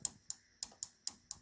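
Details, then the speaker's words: GE Spacemaker JVM1540SN1SS over-the-range microwave that comes on but won't heat. Door switches are being pressed by hand during testing, and this switch gives six crisp, healthy clicks. Another switch felt mushy and later proved faulty ($5 door switch). "an audible click. Okay, then I went to this switch, good click."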